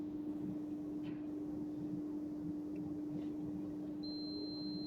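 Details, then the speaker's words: Dodge Challenger parasitic battery drain test, clamp meter on battery live cable while touching fuses in fuse box; steady low tester tone, then higher tone shows current through one of two 20 A fuses, about 90 mA, too high. "oh that one's gone off did you hear that changing be then one more time that one is drawing some current"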